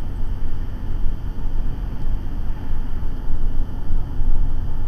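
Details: Diesel semi truck running away: deep, heavy roar that surges and swells unevenly with no letting off.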